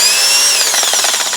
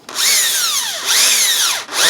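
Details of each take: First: Used Makita BHP452 18V hammer drill with a dirt-clogged gearbox on a weak battery, no load: high whine winding down with an uneven pulsing grind as the motor slows, not running right. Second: Makita BHP452 18V hammer drill after gearbox cleaning and rebuild, weak battery, testing hammer function: short trigger bursts, motor spinning up and down cleanly and evenly with no grinding; runs normally.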